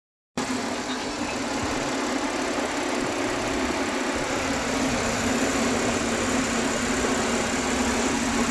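Smooth, even idle with a steady hum and no stumbles or skipped beats, the engine running cleanly.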